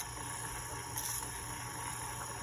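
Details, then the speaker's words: c1964 Stuzzi reel-to-reel tape recorder after fitting a new replacement motor and motor mount, tape transport running. Even, steady motor hum with constant faint high whine, no speed wavering or scraping: normal running. "it's running great very pleased with that okay well we got the transport issue resolved as you can see here a new motor and motor mount and it's working beautifully"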